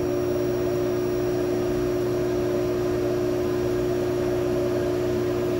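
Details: Lochinvar boiler after removing improper dampers that restricted the combustion air and caused a loud whistle. Steady, even burner roar with a constant low hum and no whistle; the boiler now fires cleanly.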